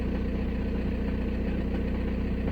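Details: VW Passat B6 1.9 PD TDI diesel, 2006, 318,000 km, after only-starts-in-1st-gear fault was cured: even idle clatter, no stumble; slight imbalance noted but injector correction checked normal; idles cleanly.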